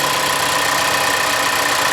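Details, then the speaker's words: 2024 Toyota Land Cruiser, new, small hybrid engine, heard outside at idle: light fast metallic tapping rattle over the engine note; speaker links it to running 87 octane, Toyota would call it normal, cause unconfirmed. "There it is, Rattle City. With a V6 and V8 engines from Toyota don't do this, and you probably won't hear this inside the vehicle, but if you're running 87 octane in this truck, everyone like its streetlights will hear it."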